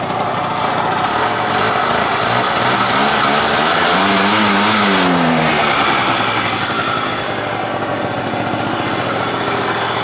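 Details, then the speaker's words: Pulse Force 50cc two-stroke scooter with a new carburetor, kick-started with a flat battery: even, buzzy exhaust note with a brief rev blip, settling back smoothly. Normal running; it idles high until warm. "Alright guys, so wrapping up, the battery is so flat it needs charging, but it starts on the kick and it sounds fine, and it should do every time."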